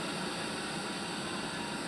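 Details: Electric kettle after servicing with a replaced part: a steady, full rushing hiss of water at a rolling boil, even and uninterrupted, before the automatic switch clicks off and the indicator light goes out; the kettle heats normally.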